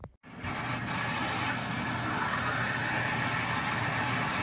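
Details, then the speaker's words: Washing machine after a leak fix at the hose connection, small load, machine left pulled out. Steady, even hiss of water rushing in with no gurgle, knock or drip: normal water fill. "you can hear that sound now that's the sound of the water going in"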